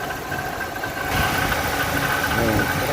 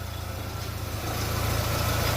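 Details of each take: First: Fiat Doblo 1.8 at idle, noise from the belt area: faint whirring chirp over a steady idle from the belt end; water pump bearing suspected. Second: Fiat Doblo 1.8 at idle after the repair of a noisy water pump: the earlier ticking from the front of the engine is gone, leaving a smooth, steady, healthy idle.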